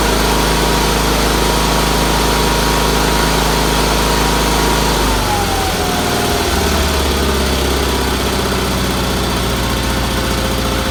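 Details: Red Roper with BFM twin engine, running after fitting a fuel filter, finishing the fuel line to the fuel pump and refitting the carburetor pulse line; owner suspected a weak fuel pump earlier. Smooth, even twin idle easing slightly lower midway, no knocks or misses; runs good after tuning.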